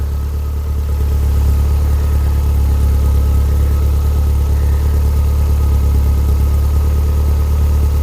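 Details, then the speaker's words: Skoda 120 with 1.8 16v engine, running again after gear linkage fix, slow-returning throttle: smooth, even low drone with no knocks, misses or hunting, burning off oil and muck; normal idle. "That sounds alright. Burning off a bit of oil and muck and dust and stuff out of there."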